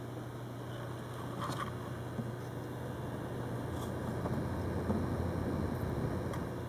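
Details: New Corsair H50 liquid cooler on a Phenom II X4 955: steady low hum with faint buzz under fan noise; owner suspects a defective pump and is considering an RMA.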